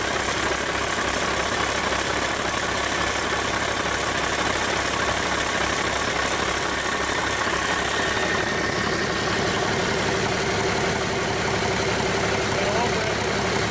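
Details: Rebuilt Cummins 8.3L diesel with an inline injection pump, first start after bleeding air from the fuel system, for a Hyster 15K forklift: even, steady idle clatter with no misses or knocks. Normal idle, runs great.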